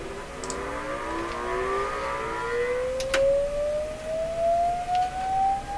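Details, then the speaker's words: 1929 Victor RE-45 radio, amplifier and speaker check: rising sweep tone with a rough buzzy overtone over a steady hum; distorted sound reproduction, suspected to come from the speaker, voice coil connections checked. "boy oh boy oh boy ask not too good is it [Music] well I'm gonna guess that's the speaker doing that"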